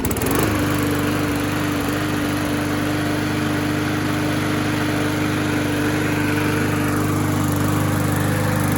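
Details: Bolens (MTD-built) walk-behind mower after tune-up, carburetor diaphragm gasket and valve cover reseal, RPM adjusted down, warming for oil leak check: steady even pitch, no hunting, misfire or knock; normal running, later found perfectly dry.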